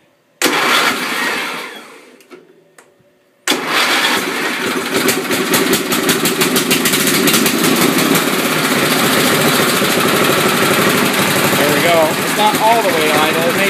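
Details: Wheel Horse 211-5 tractor after carb cleaning, tank cleaning, new fuel line and filter, with both carb needles 1.5 turns out: engine catches, dies briefly, then refires and settles into a steady, even run with no misses. Runs well; carb and brakes still need adjusting.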